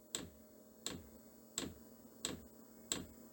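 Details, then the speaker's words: Chinese diesel air heater powered by computer ATX power supply, startup after glow plug preheat: crisp fuel dosing pump tick about every 0.7 s over steady fan hum, fan speeding up; normal startup. "Oh, I hear the fuel pump clicking. The ventilator starts running faster."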